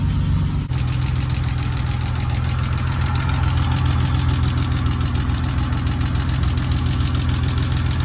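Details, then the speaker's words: BMW E30 after re-tensioning a loose alternator belt that caused squealing, first start after sitting a while: low, even idle rumble with a regular beat and no belt squeal left; smooth, healthy idle. "Donc là ça fait un bruit ça fait un bruit de BM. C'est beaucoup mieux comme ça. Ça fait pas un bruit de couinement immonde là comme c'était avant."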